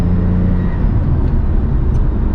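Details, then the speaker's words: Lexus IS300 idling steady and smooth, a bit quick but without misfire, now just under 1,000 RPM after new spark plug wires; it idled at about 1,600 RPM on the previous day's test drive and was loud at idle. "After yesterday's test drive, I think I mentioned on the video, maybe I didn't, the car was idling at like 1600 RPM, which is not cool."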